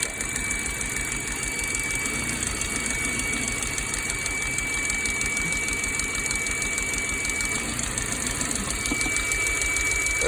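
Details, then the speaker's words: 2006 Ford Focus rough idle with check engine light: thin steady whistle over uneven idle, from a vacuum leak through a hole in the CPV hose. "okay so I got 06 Ford Focus rough idle check engine light on ignore the uh ABS light and traction control light um see a rough idle sounds like crap you hear that Whistling noise"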